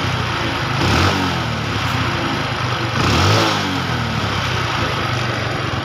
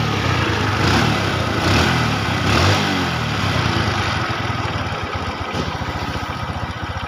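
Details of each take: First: Honda Revo carburetor after service, with the air screw adjusted and the sticking throttle piston fixed: two clean throttle blips that rise smoothly and drop straight back to a steady idle; running normally again. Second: Honda Revo carbureted motorcycle after carburettor and throttle cable service: fast, slightly uneven idle putter, running rich because the air screw was turned in too far, wasting fuel; air-fuel screw being rebalanced.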